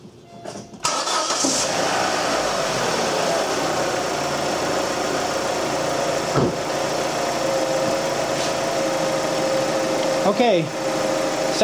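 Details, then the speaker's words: 2006 Suzuki Forenza, first start after head replacement for valves bent by a broken timing belt, coolant topped off, no leaks: short crank catches quickly, then an even, steady idle with no knocks or misses. Normal start and idle. "I've uh topped off the coolant here everything is looking good no leaks everything is sounding fine let me go ahead and Crank It Up"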